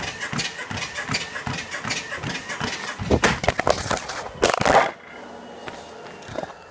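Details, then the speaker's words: Sole F63 treadmill, about a year old, running at speed 5: sharp squeaks with every footfall from somewhere in the frame; returned after technician lubricated lowering arm, grease on joints didn't fix it. "Yeah, I don't think anyone can run on a treadmill this much noisy. Cannot figure out where that noise came from. It's come from frame, somewhere, but I cannot find out."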